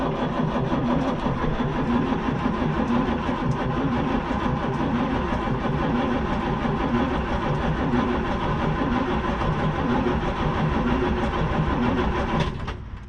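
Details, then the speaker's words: 1975 Chevy squarebody 4x4 stepside, SM465 four-speed manual, non-running Isuzu 6BB1 six-cylinder diesel: starter churns sluggishly and unevenly about three turns a second for over twelve seconds, never fires; turns over reluctantly, fuel bleed needed next. "Maybe okay it turns over a little reluctantly but it does turn over Let's uh I didn't think it was going to fire right up but you never know let's start a fuel system bleed"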